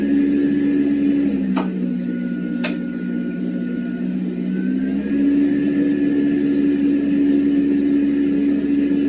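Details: Tankless water heater combustion fan: a loud, steady low hum with a faint higher whine, pitch stepping up and down as the fan changes speed; the humming comes from fan imbalance.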